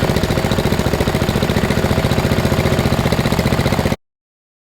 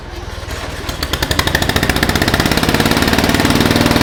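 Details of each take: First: 2000 Murray LT1000 riding lawn mower, lowered with a custom exhaust and a new drive belt, tested up on blocks: an even, steady single-cylinder thump for about four seconds with no misses or knocks, then silence. It seems to be working fine. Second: 2000 Murray LT1000 lowered riding mower, new exhaust, jump-started with starting fluid: catches and holds fast steady popping idle about four beats a second; throttle return holding high RPM, idle set screw adjustment had no effect.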